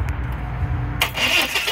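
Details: 2001 Chevy S10 4.3L: starter grinds the engine over with a quick, even churn but it never catches or runs; crank no-start, checking for spark first, later traced to a loose distributor cap.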